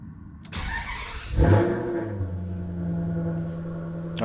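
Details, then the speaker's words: Maserati GranTurismo started after installing the Formula Dynamic drive-by-wire module in bypass mode (not engaged): short crank catches cleanly into a steady, even, low smooth idle with no misses or knocks; no error lights. "So I'm going to go ahead and start it up now and see if we got any error lights. At this point, everything is set up in bypass mode, so the fly-by-wire module will not be engaged."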